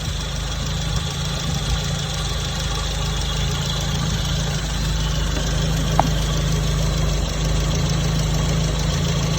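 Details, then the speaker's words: Petrol engine idling lumpy with uneven beat and sharp exhaust pops from 34 degrees of ignition advance at idle, far too advanced; timing later reduced to 14 degrees. "when you listen to that engine and it's popping like that it's telling you the that noise is is telling you it's got too much ignition Advance when it's idly the engine"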